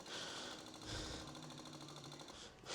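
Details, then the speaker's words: 1988 Yamaha FZ750 Genesis, fire-damaged, carburetors rebuilt and empty: quiet rapid electric ticking buzz for a couple of seconds then stops as the fuel pump primes the carbs normally, before first start on a jump pack. "If this runs, months and months of trial and error is done. So going let the fuel pump through cuz the carbs are empty."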